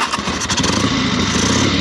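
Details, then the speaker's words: 1976 Harley-Davidson Sportster 1000 Ironhead V-twin started in neutral; catches and settles into a loud, lumpy but even beat with the usual shake, no knocks or rattles. Normal start. "See that little shake in there? Everything shakes, rattles, and rolls."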